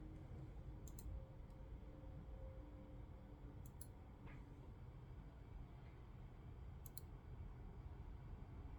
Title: HDD strange noises, won't initialize.